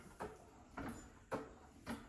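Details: SGS hydraulic trolley jack after an oil top-up and air purge: valve closed and pumped, four even, solid strokes about half a second apart, each a clean squelch with no hiss or stutter, lifting normally.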